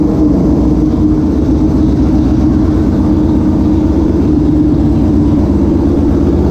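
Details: Restored 1973 Honda CL350 twin, formerly non-running, kick-started; settles into a steady, even throb with no knocks or misses; normal running.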